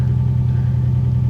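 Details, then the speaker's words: Infiniti G35 that died in traffic, check engine light on: deep idle rumble with a faint uneven pulse and dropping revs, a really rough idle; cause unknown. "like right now the revs are dropping and it has a really really rough idle to it ridiculously rough"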